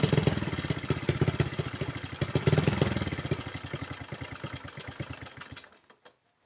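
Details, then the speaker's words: Honda Supra X 110cc (engine code JN5), daily hauling use, rarely changed oil, frequently fouls spark plugs: uneven, clattery running with loose irregular beats dying away at shutdown; rough noisy engine before teardown. "kita cek untuk suara mesin yang begitu berisik ya teman-teman"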